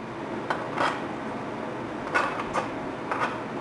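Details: Oxy-fuel cutting torch at fast, correct travel speed: quiet hiss with snapping, crackling pops from under the cut about every half second; a good clean cut, though with heavier slag.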